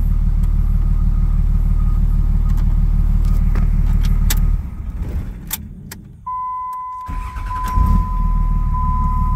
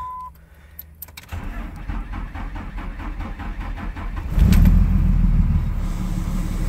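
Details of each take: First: 2004.5 Ram 3500 diesel with new starter fitted; steady low idle clatter, brief pause, then fires quickly and settles evenly, starting much faster than before; normal diesel start and idle. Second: 2004.5 Ram 3500 diesel: slow, labored cranking for about three seconds, then a loud, uneven, lumpy rough idle, with slight blue smoke at cranking and the exhaust brake on. Cause suspected, not confirmed.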